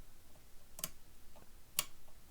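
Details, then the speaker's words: 1936 Crosley Model 516 Fiver radio, rotary bandswitch after contact cleaning: two crisp, clean clicks about a second apart, nothing scratchy; switch snapping through positions normally. "and I don't know if you can hear it, but it's clicking pretty good. Should be making good connection."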